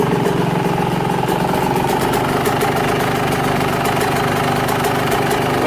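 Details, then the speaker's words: Yamaha YZ125 (2021) two-stroke on 25:1 premix, after fitting V-Force reed petals, idle set barely running: crisp, steady idle with an even buzzing beat and no misses or knocks. Runs clean and tight. "sounds good and tight"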